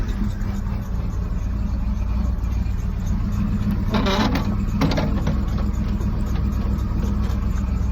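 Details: 1991 Camaro V8, cold start after sitting a while, newly done exhaust: deep steady rumble, even idle, a couple of brief blips, no knocks or ticks.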